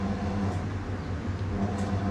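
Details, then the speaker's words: Toshiba 8970s washing machine, empty, on spin-only: loud, steady low rumble with a heavy throb and strong vibration as the drum spins up. It's loud on spin and wash under load; an empty drum shouldn't shake like this, cause not yet found. "Okey, mesin basuh ni kosong ah. Dia bergetar tu agak kuat ah permulaan kita starting ni. Okey, sebab kalau kosong dia tak akan goyang kuat macam ni."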